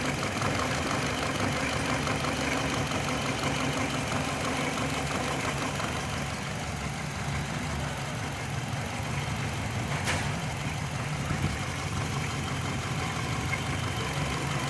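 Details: 2005 Hyundai Matrix with code P0302 and an intermittent check-engine light: uneven, stumbling idle from a cylinder 2 misfire. Plugs on cylinders 2 and 4 are white and on 1 and 3 black; the fault was traced to the injection and repaired.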